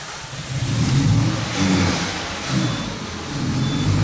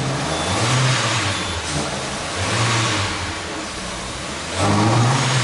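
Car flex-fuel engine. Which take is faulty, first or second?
first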